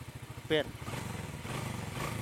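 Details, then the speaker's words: Honda Karisma whose new carburetor still dripped fuel, cause found to be dirt: after setting the carburetor, a steady even low idle putter with a brief outside noise; running smooth and no longer dripping. "Nah, ini kan langsamnya enak, ya kan? Enak kan? Enak dong."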